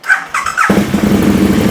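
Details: KTM Super Duke 1290 R starting for warm-up and a charging-system check, battery at 13 V: brief starter whir, then the twin catches at once and settles into a steady, even idle with no misses or knocks.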